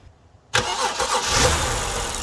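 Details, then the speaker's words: BMW E90 after its no-start was fixed: engine catches abruptly after a long crank and settles into a slightly uneven, hunting idle; owner suspects a vacuum leak, bad coil or bad spark plug. "hmm well that fixed our starting issue but you could still kind of see and hear that the car is suffering from something like either like a vacuum leak or a bad coil or a bad spark plug something like that so it's not really happy at idle"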